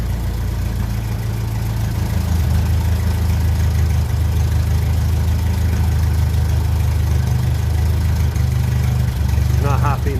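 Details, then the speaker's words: 1957 Ferguson 35 TVO tractor, damp engine: heavy low idle hunting and stumbling as the idle mixture screw is adjusted, won't run slow; possibly dirty idle jet, owner may flush the tank. "oh not happy to run to run slow at all not interesting just like that anyway it'll run with Reds so I'll do a little bit more investigation"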